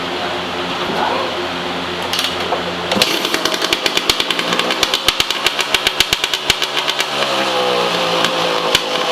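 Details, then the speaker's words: 2003 Yamaha YZ250 two-stroke, warm (ran 10 minutes earlier), slightly loaded up and being cleared, before silencer repacking; sharp crackling pops at uneven rate through loud raspy revs; worn-out silencer packing makes it loud and pop. "The packing in this is pretty bad. It's loud and it pops."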